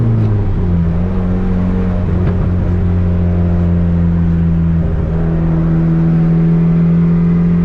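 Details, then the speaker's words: Turbo Honda Civic with fresh built D16 single cam on road test after ignition fixes: steady drone, then pitch climbs cleanly under throttle without stumble; no longer cutting out at any rpm, though logged rpm still scattered. "Now as far as the ignition system goes, it's definitely running better and it's not cutting out at any RPM range anymore"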